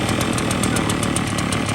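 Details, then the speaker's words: Small engine running with its air filter replaced by cigarettes in a baby bottle, restricting intake: rapid, slightly labored buzz at noticeably reduced speed as it struggles to stay running; bogging from restricted air intake. "can hear it slowed it down a substantial amount. I just wanted to stay running."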